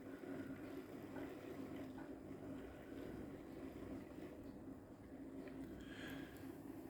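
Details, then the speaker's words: Hornby Class 57 model locomotive on a test bed after repair, at 11 volts drawing under 0.1 A, turned down to a slow crawl; quiet steady low motor hum with no stutter or surging, running smoothly. "so upgraded water she's a nice looking look and what i'll do is and just bring it to your store listen to that crawl"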